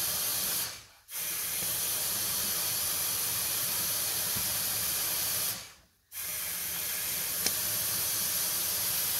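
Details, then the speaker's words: 2001 Dodge 2500 Cummins diesel truck, engine off, intake pressurized for boost-leak testing: steady high airy hiss from the intake side, felt blowing against the fingers at the intercooler boot, which slipped off or has a rubbed hole. "coming from that side of the engine somewhere it was right here definitely hear it over here oh yeah oh yeah i can feel it with my hand it's blowing against my fingers"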